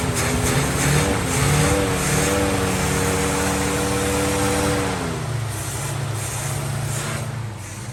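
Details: 1950 Plymouth Deluxe, off the road 23 years, after a carburetor fuel filter and new plugs: a few throttle blips then a steady, even idle; idles on its own using the engine fuel pump, runs fine after long storage.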